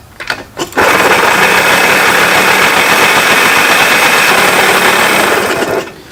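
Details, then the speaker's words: Junkyard Yamaha PW80 two-stroke pit bike, new carb and reeds, first run during break-in; a harsh, rattly, choppy roar that sounds very bad. Source unconfirmed; the owner hopes it's the transmission, not the engine, and plans an oil change. "sounds so bad that I'm literally waiting for it to explode I mean if it blows up whatever I'll just build it again"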